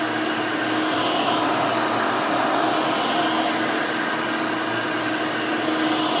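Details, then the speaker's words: Rebuilt Hoover Elite 600 upright vacuum, built from parts of several Elites, with a new 7 amp, 20-blade-fan motor in place of the original 6 amp: a steady, even whoosh with a smooth fan tone and no rattle, scrape or wavering. Running healthy and fairly quiet. "very nice runs very smooth it's fairly quiet this new 7 amp motor with the 20 blade fan almost sounds like the original 6 amp that was in this"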